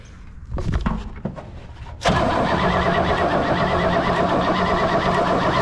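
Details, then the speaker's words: 1964 Oldsmobile 98, long-stored, battery wired direct with alligator clips: starter cranks evenly with no firing; distributor cap off shows no spark, so the points are filed next. "nothing okay now we'll actually take the cap off and see what lays underneath let's see if we can see spark nope"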